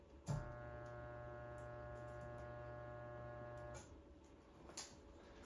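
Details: Fifth-wheel camper rooftop air conditioner fan motor, rebuilt from used parts with capacitors replaced: low steady electrical hum for about three seconds with no fan rush; motor energised but not turning, unit may need replacing.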